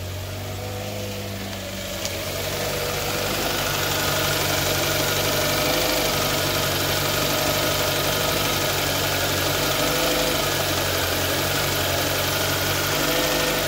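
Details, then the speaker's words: 2011 Kia Sportage 2.4 4x4, said to start then die and shake, owner told engine needed replacing: even steady idle with a regular low pulse, no misfire or stumble heard; engine smooth for now before scanning. "Vamos a darle llave sí encendio parejito miren está parejito el motor"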